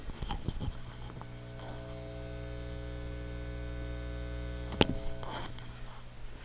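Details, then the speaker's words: Hammond M3 organ amplifier (two 6V6 push-pull, 12AU7/12AX7) on bench with current limiter, mic near speaker: steady low hum with buzzy overtones, from open unterminated inputs picking up mains hum; judged acceptable. "the reason that there's so much hum is all the input terminals there there's multiple inputs along there all of those are actual inputs to the amplifier so there's a lot of open circuits with with no termination on them right now so you are going to get a little bit of hum"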